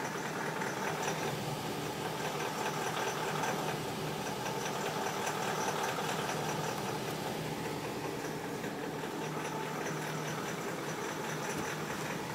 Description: BMW X5 4.8is ticking noise